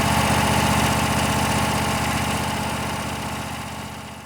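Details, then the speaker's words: Craftsman riding mower, Kohler Courage 26–27 hp twin, long-stored no-start, after carburetor cleaning and rebuild, float valve not replaced; smooth, even idle with steady beat, no misses, hunting or knocks; normal idle. "looks like that carburetor is doing the trick even without uh replacing the float valve"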